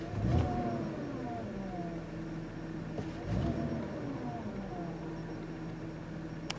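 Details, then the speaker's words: 2010 Audi Q5 3.2 V6 direct injection, about 135,000 miles, warm idle after CRC intake valve and turbo cleaner treatment and 10–15 minute highway drive; steady even low hum, rock-solid idle with no skips; normal. "everything feels really nice smooth power was good smooth nice shifting trance i love this transmission it's awesome engine is running beautifully look at that idle rock solid"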